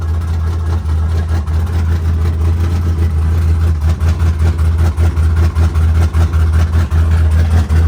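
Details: Nitrous LS V8 burnout car (7400 rpm, 'Badillac') after last-minute repairs before Cleetus and Cars Indy: deep lumpy idle with a steady rhythmic lope and no knocks or rattles; runs smoothly and healthy.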